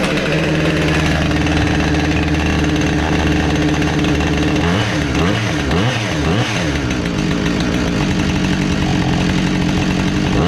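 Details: Husqvarna 465 chainsaw the customer believed needed a carb, but it didn't: strong, steady high rev with crisp drops and pickups, no bogging or sputter; the saw runs healthy.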